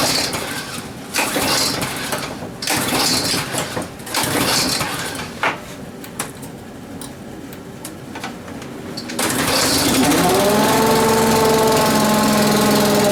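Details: Small engine blower started indoors with fuel newly drawn in: catches after some scraping and settles into a steady high buzz; normal running.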